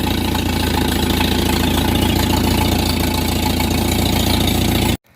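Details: Old Farmall tractor with a carburettor rebuilt about two years ago and left untouched, adjusted perfectly, running clean fuel through inline and sediment-bowl filters. Steady, even low chug at idle with no misses, hunting or knocks; runs healthy.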